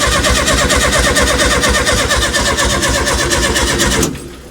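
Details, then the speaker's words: 1970 early T2 Bay Window VW campervan, reinstalled engine: steady cranking about three beats a second for four seconds, no firing. Fuel pours from the carb because hoses lack clamps; owners suspect no spark. Cranks but won't start. "Okay so we've got fuel just seems like we're not getting spark go keep going I guess so"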